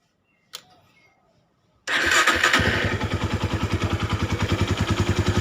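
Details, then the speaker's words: Honda Tiger at idle, clutch lever not pulled: kick-start catches into an even steady idle, no top-end ticking; idle gets smoother with clutch pulled, clutch area makes some noise when released; engine otherwise healthy. "ini suaranya seperti ini Lur langsamnya dan ini enggak dipencet kopling kalau kita pencet lebih halus"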